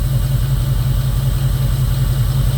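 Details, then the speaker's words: 2002 Jeep Grand Cherokee 4.7 HO with coil-melting problem: uneven, lumpy idle with a recurring stumble as one cylinder drops out after its coil is unplugged and replugged. Misfire; owner leaning towards a failing engine computer, unconfirmed. "Okay, so I have a miss. And now I continue to have a miss. This is my cylinder that's missing. Yes, it is. This makes no sense."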